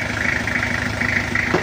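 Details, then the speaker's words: Toyota Kijang diesel after cracked-block repair, warmed up with temperature still normal: steady, even idle clatter with a regular beat, no odd knocks, running smoothly, rpm still a little high and to be adjusted later, normal idle. "Oke ini udah selesai suaranya agak adem kalau udah agak panas tapi temperatur masih DJ"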